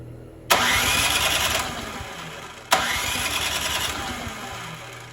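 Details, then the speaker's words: Poulan Pro 961980056 24-inch 208cc snowblower, won't start after sitting, given starting fluid and primed: two pulls, each catches, runs a second or two, then fades and dies; fuel starvation from dirty carb jets and water in fuel. "foreign yeah so I'd say uh we got a carb issue here let's tear into it"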